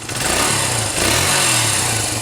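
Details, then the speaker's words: 1980s Honda single-cylinder dirt bike just restarted after carburetor rebuild, kick-started: crisp, even, quick putter like a sewing machine with a slight blip, no misses; idle may need slight adjustment; normal idle. "Listen to that, man. Sounds like a sewing machine."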